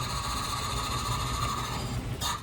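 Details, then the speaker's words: Honda Civic 1.4 iES (D14) just after an engine rebuild for oil burning runs with a steady high whistle-like tone over a rough chatter, cutting off as it stops; an air leak is suspected. "Hava mı arıyor? Oranın harbi bir yerden de hava alıyor sanki."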